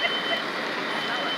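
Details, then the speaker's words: Smoke alarm in a room-fire sprinkler demonstration: a steady high-pitched squeal near three kilohertz over the room noise, sounding continuously, marking the start of the roughly 30-second escape window. "I didn't need to see the smoke but I can hear that smoke alarm going off that gives you your timer"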